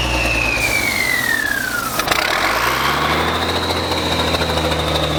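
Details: Diesel ex-military truck's first start after more than ten years sitting, given ether: a falling whine, then it catches at about two seconds and settles into a steady, even low drone; starts and runs cleanly.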